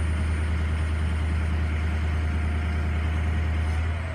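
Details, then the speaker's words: Diesel with turbo another shop said needed replacing; deep steady drone with faint turbo whistle, vanes seen moving on gauge, turbo boosting and not stuck open or shut; normal boost. "now it's going up I mean it's boosting"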